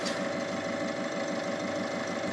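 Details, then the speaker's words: Pneumatic turbo engine idling just after start, turbo actuator rod moving as pump vacuum overcomes the actuator's internal spring; even, steady idle pulse with no knocks, rattles or whistles; normal healthy idle. "asta caz, este un motor turbo pneumatic, atunci, vidul generat in pompa de vid la pornirea motorului, invinge rezistenta arcului pe care il are interior, si in acest fel misca tija"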